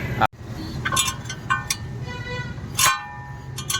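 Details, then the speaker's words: Maruti Suzuki Wagon R (new model), front driver-side wheel, noise at 10–20 km/h in first/second gear, none at 50–60, persisted after wheel change: intermittent thin metallic scraping squeals as the wheel turns; stone trapped between brake rotor and dust shield. "आवाज़ इसके अंदर से आवाज़ आ रही है। तो car जब भी धीमा स्पीड में चलता था फ्रेंड्स तभी आवाज़ आ रहा सुनाई देता हो था, शायद।"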